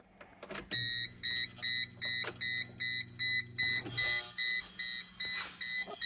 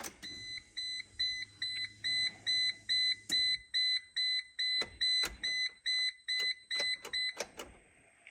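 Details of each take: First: Geo Tracker after a 5-speed manual swap, key on with a mismatched computer fitted: a high, pulsing electrical buzz from under the dash, about 2.5 bursts a second, that goes haywire when accessories are switched on; engine won't start. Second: A steady run of high, clear chime beeps, a little over two a second, at key-on in a Geo Tracker during a 5-speed manual swap, after refitting the stock automatic computer; the humming under the dash has stopped.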